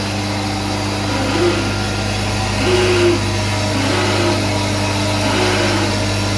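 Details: SCM Minimax S45n machine: a steady motor hum with a faint hollow swell rising and fading every second or so; the cause is unclear.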